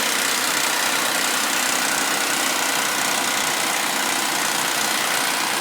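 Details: Suzuki V6 Vitara on a warm start: steady metallic rattle over the idle that stays even, if anything quieter, when revved; owner suspects worn timing chains and tensioners.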